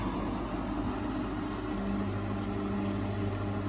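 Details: Steady even hum with a smooth fan whoosh and faint tones from a three-week-old GE AHEK08ACW1 air conditioner, running normally after the faulty control panel that made it shut off and beep was bypassed.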